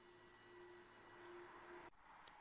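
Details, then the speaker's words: VW group gen2 1.6/2.0 TDI diesel after a fuel filter replacement, fuel pump run via diagnostics basic settings for about two minutes: steady mid-pitched electric whine whose tone drops once the filter is full; normal priming before first start. "So when the tone comes down, you'll know it's full. So let it run on for a minute or so."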